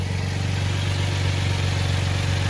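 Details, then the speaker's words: Vehicle with 133,274 miles, started in cold weather on a battery charger, needs an alternator and has a broken brake line: steady, even idle with smooth low hum, no knocks, misses or hunting; normal idle. "All right, guys. She's running. She's on a box or a jumper. Actually, a battery charger, but she's running."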